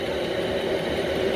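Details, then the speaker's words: 8 kW 12 V Chinese diesel air heater installed in a workshop, running normally at full heat after a low power supply was sorted: steady even whir and combustion roar, strong hot airflow, no surging or pops. "but you know what the amount of air that's coming out of here i could see how this would heat up this workshop in no time"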